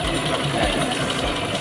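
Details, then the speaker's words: Honda Mega Pro New mono-shock motorcycle at idle, rough after being pushed through water but not flooded: dry metallic clatter from the top end; suspected rocker arm and camshaft fault rather than valves. "Suara itu berasal dari atas. Jadi, ada kemungkinan itu mengarah ke lengan ayun , poros bubungan, atau katup."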